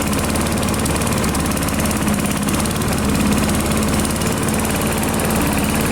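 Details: AL-KO Silver 52B mower with Briggs & Stratton 675 series engine, running at half throttle without its air cleaner: even, steady drone with no misses, knocks or surging, running fine while warming the oil before draining.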